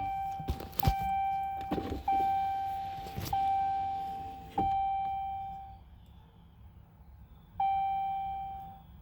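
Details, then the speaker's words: Vehicle just after oil and fuel filter changes: key-on clicks, then a steady mid-pitched electric hum lasting a second or two before stopping, repeated several times to prime fuel before cranking. Normal fuel pump priming. "I just like to take my time and let the fuel pump do its thing. Pump the fuel where it needs to be."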